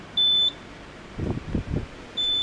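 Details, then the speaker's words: HP T1500 G3 1500 VA UPS on a 36 V sealed lead-acid pack charged to about 41 V, with about 400–460 W load: high steady beeps every two seconds with handling thumps; alarm can't be silenced, likely tied to battery light flashing. "So now, this white one here is our AC to this unit, and you'll hear all the beeps. I can't silence that alarm."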